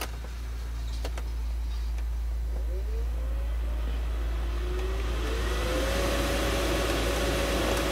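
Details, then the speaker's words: 2015 Mercedes/Dodge Sprinter 3.0L after blower motor replacement for non-working A/C: steady low hum then smooth fan whine rising gradually with blower speed, no grinding; blower now working. "and right here as you guys can hear the blower motor is definitely working now"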